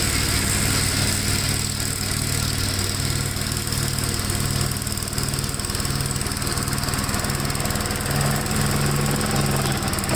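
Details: 1957 Gravely tractor mowing soaked grass: a steady, even single-cylinder thump holds speed with no stumble or bogging. The engine pulls well with power to spare and runs normally.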